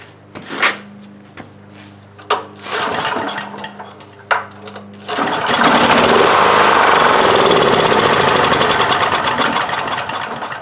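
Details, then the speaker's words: 1997 Honda EB5000 generator, no-start with spark present, fuel fed by hand at the carburetor unchoked then choked: a few separate pops and bumps, then catches; starts only with added fuel, dirty gelled-up carburetor suspected. "so we want it unchoked see if we get a straw in there and i'll choke it just wants to bump over now then it's probably just dirty cardboard"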